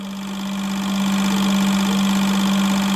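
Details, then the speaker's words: eBay turbo Honda Civic injectors tested at low pulse width: fast, steady injector buzz; around 2.1-2.3 ms pitch changes and one stops spraying, by 1.7 ms nearly all shut off; injectors dropping out at low pulse width. "right around 2.1 milliseconds 2.3 there you can hear that they're good listen if you can on the camera did you guys hear the change in Pitch and this one's completely like off now it's not even spraying"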